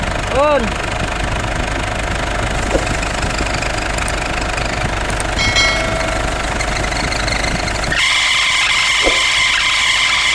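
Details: Idling engine gets noisy when the air conditioning is switched on: a thin, high steady whine appears as the AC cuts in and follows the AC load. Cause unconfirmed.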